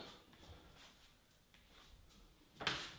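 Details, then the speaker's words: Door fitted with new ball bearing hinges replacing old non-bearing butt hinges that squeaked, on a solid core door; swings almost silently, only faint carpet brush, soft smooth close, no squeak. "but very smooth quiet should take you about 15-20 minutes a door closes very nicely"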